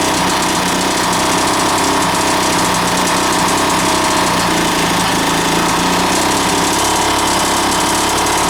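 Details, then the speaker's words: 1980s Mountfield AV85S two-stroke lawn mower, first start, deliberately run rich; rough clattering run with dull knock at steady speed; engine knock, owner unsure if carb, fuelling or engine damage, possibly crank bearings. "there's definitely a knock in there but now we know that it does actually run"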